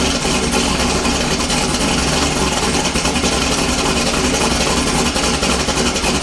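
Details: LS-swapped Foxbody V8 after fixing a stuck horn relay and a loose starter solenoid wire: strong, steady idle with even low rumble, no misses or knocks; runs fine once cranking restored.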